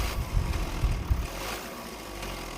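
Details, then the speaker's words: Toyota Hiace 1KD diesel with rough running: heavy metal-on-metal knocks when revved and the throttle is released, from a soft tensioner adjuster letting the timing belt tensioner bearing swing and strike it; fix is replacing the adjuster. "Bali baklas na, bali ito yung tumatama, kaya yun yung naririnig natin, bakal to bakal."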